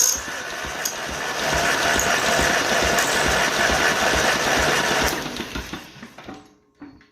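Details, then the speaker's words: 1955 Ferguson TE20 TED TVO tractor engine, cranked by the starter for a compression test. Strong, even cranking beats about four a second. It reads 100, perfect compression. "100. That's perfect. How the hell is that 100? That's a TVO engine."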